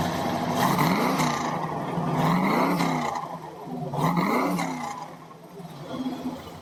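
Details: 1952 Ford pickup with Ford 351 Cleveland V8, automatic with floor shifter, raised motor mounts, new fuel pump, driven maybe 40 miles: deep V8 rumble rises smoothly through three quick blips and settles each time, no knocks or misses; healthy, normal.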